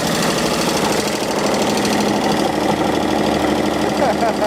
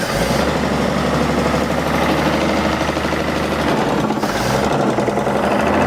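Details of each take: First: 1948 Chevy inline engine, abandoned 58 years, first runs: busy clatter with a dull knock underneath, owner unsure if rod knock, no oil seen reaching the top; otherwise runs smoothly, smoking with steam. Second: Chevy truck (1948/1950) abandoned 58 years, first start after cranking: a steady, even idle with no obvious knock. A rod-knock noise was suspected, but the engine sounded fine once running apart from one noise.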